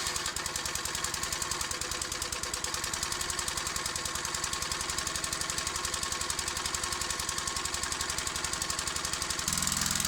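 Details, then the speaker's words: Old 20-ton Clarke log splitter, roughly 3.25–3.5 hp Briggs & Stratton, with the old carburetor and no governor set up, started outdoors to split logs: steady fast thumping with a harsh high-pitched screech. Owner thinks something came loose; the cause is unknown. "It started, something came loose, it seems like. I don't know what that screeching was all about."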